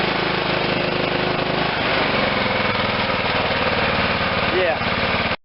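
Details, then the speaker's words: John Deere LT160 lawn tractor, Kohler Command 16 hp: even, quick putter holding steady speed without hunting or misses after raising the too-low idle screw slightly clockwise; normal idle. "pretty good i'll go up just a hair clockwise is higher idle that sounds normal"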